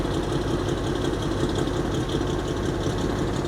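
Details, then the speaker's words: 1983 Beechcraft Bonanza B36TC, sat about 13 years, first start: steady low, even rumbling idle at a couple hundred rpm, no knocks or misses; perfect oil pressure, alternator charging. "it like literally it is just sitting here I laying at like a couple hundred RPM and if you guys look we got perfect oil pressure"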